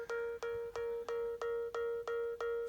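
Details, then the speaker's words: iPad plugged in and charging emits short clear mid-pitched beeps about three times a second, like an alarm; stops when unplugged; owner suspects the charger isn't inserted well. "You can hear that beeping noise, and this is not the first time it's been doing that."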